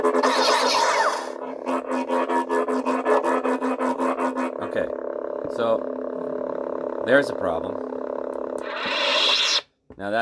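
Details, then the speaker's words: Second black-faced 28 mm lightsaber speaker, replacing a previously cracking one, plays hum and swing effects that sound crackly and buzzy and break up on louder parts. Owner suspects a bad factory batch, not wattage or ohm rating; the silver-face speaker works okay. "this is the second black faced speaker um oops second blackface speaker that uh is causing a problem"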